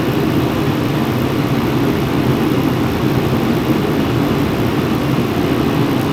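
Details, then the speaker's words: Mr. Heater Contractor Series propane forced-air heater, new, on low after 20-second purge: steady even roar of burner and blower with low rumble, no surging or popping, not loud; normal running. "Blowing some decent heat right now. It's on low. It's not that loud."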